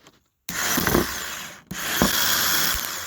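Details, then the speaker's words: Starter motor from a 2013 Acura MDX, bench-tested with jumper 12 V and ground, arcing from loose connection: two sharp spin-ups to a high even whir with slight crackle at the lead; normal starter spin, turning freely and strongly. "So, the starter motor doing just spin go in and just spin. It comes back."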